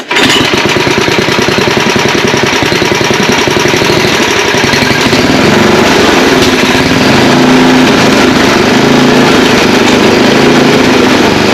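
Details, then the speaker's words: Old Ariens ST824 8 hp snow blower after valve clearance set, carburetor adjusted (green deposits in float bowl): catches and settles into a steady, slightly uneven fast-idle putter; not perfect but starts halfway decent now; ignition switch may not shut it off. "oh yeah I mean it's old not going to run perfect but it does run it starts halfway decent now"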